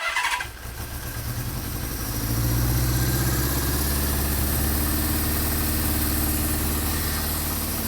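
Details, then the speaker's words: 1974 Honda CB550 four-cylinder after static timing and carburetor synchronization, warmed up: smooth idle, revs lifting slightly then holding a steady, even beat; adjustable idle shows the carbs are synced. "so as you can hear the idle is adjustable now I can put it down as low as like 500 all the way up to 10,000 if I wanted so that's a good way to know that the carbs are now synced"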